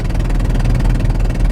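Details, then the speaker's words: Vehicle engine running before repair with one spark plug blown out of the head, after first suspecting a blown exhaust manifold: loud rapid chuffing on every firing over a deep rumble as compression escapes the plug hole. "You can hear that racket there now. Over here we can see our two spark plugs, and as I was in trying to figure out if we had blown a part of the exhaust manifold or something off, I was poking around in here"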